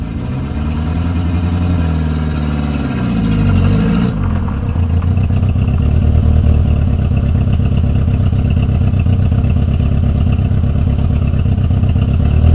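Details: Renault 19 on its first move after engine repair: idles, then pulls up smoothly as the car moves off, with an even low drone and no knocking; running normally.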